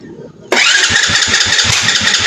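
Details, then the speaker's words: Rusi motorcycle, probably a 110, no start: loud hissing crank with uneven low thumps and backfire that never catches, until the battery runs down. "Palyado palyado siya pero kanina trinay ko talagang napakalakas ang kanyang backfire. So ngayon ayaw parang ayaw magtuloy ng kanyang andar."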